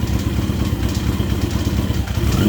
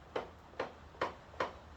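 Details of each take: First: Yamaha XJ650 four-cylinder, about 40 years old, after clutch repair and leaky cam cover fix, fresh oil, warming up: fires at about two seconds, settles into steady even idle with light valve chatter, no knocks or misses; normal running. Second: 40-year-old Yamaha XJ650, clutch lever pulled, rear wheel turned by hand: sharp light ticks about twice a second from clutch side of motor with resistance; clutch drag, cause not yet found.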